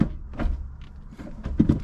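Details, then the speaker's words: Normal reverse engagement on an MK3 Jetta with a 1.8T swap and 02J transmission, using an MK4 GTI shifter box and cables, after repairing the shifter bearing cup and realigning the shifter: quiet clicks, then a clean double clunk into reverse. "when you hear that loud clunk that's it getting into reverse it's all good"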